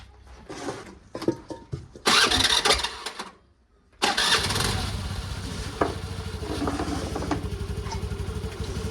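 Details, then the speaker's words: Bajaj Pulsar on a very cold day, carburetor just refitted, choke on, fuel on reserve, self-start. Several short cranks, then it catches and runs rough and popping. Hard starting. "तोय बहुत बार try करने के बाद एक बार मुश्किल से start हुई थी पुटु पटुक करके लेकिन उसी टाइम बंद हो गई"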